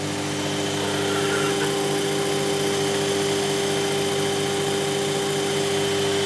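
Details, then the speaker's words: Logosol PH260 planer after strip-down and rebuild, started without cutter blocks or blades: steady high belt squeal on startup over motor drone; some belts suspected too tight, others too loose. "right what we shouldn't be having is screeches from the belts on start up because it's not even got any blocks or cutters in it yet"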